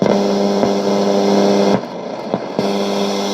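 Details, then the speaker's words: c.1989 Hitachi MS-W600W twin cassette boombox, radio tuner after long shed storage: loud steady buzzing hum with low drone that won't turn down; volume control not working, owner suspects very dirty control; balance was fully to one channel. "The volume doesn't even turn it down. What's going on with that? Alright, maybe just a very dirty volume control, but I can't even get it to go quiet."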